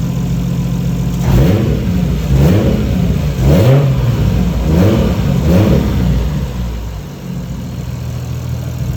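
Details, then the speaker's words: 1JZ Toyota Chaser after losing all boost pressure: loud raw exhaust with four throttle blips over low rumble; turbo wastegate actuator arm disconnected from the flap, likely accidentally knocked. "but the thing fell off so i think we're okay bro looks like the um the actuator arm has disconnected from the fl"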